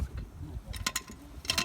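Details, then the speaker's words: Ford Focus 2 front left shock absorber strut, car on its wheels, spring pulled and released sharply: sharp metallic clunks as the strut snaps up; internal play, the piston or something inside has likely come loose. "И внутри вот слышно, как что-то открутилось. Вот она вылетает вот так вверх. И у нее присутствует люфт."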